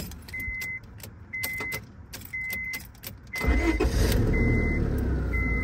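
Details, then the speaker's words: 2004 Honda Civic that would not start and clicked at the fuse box, cranked after refitting a fuse-box part: chime beeps about once a second, then steady starter cranking; the fault is intermittent and the part needs replacing. "now I'm going to crank it I'm going to do it again"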